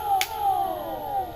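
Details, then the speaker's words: Miles Phantom electric skateboard hub motor wheel after fitting Revel CloudWheel adapters with longer teeth: steady whir falling smoothly as the wheel coasts down, no repeating clicks, clicking fixed. "to that no clicks smooth the way it needs to be"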